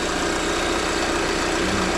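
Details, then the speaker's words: 2023 Lada Vesta NG automatic at idle while checking for exhaust camshaft knock: steady, even hum with a fine regular tick, no heavier knock; the camshaft was found healthy. "Ну в общем диагностика показала что у меня эта вся тема исправная"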